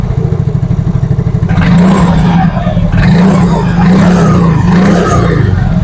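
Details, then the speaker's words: Yamaha Mio Fino 125 fuel-injected scooter after adjusting the idle speed control (ISC) via its hose: small single putters steadily on its own without throttle, even low beat, no stumbling; normal idle. "coba nyalain jadi ini enggak saya pegang ya untuk e kondisi gasnya tuh ini normal ngangsap Oke aman ya"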